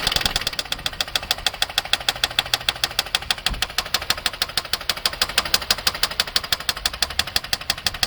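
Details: 2009 Nissan Maxima at idle: a sharp, metallic ticking knock of about three per second, steady and loud over a quiet idle; a serious internal engine knock, with a bad motor suspected.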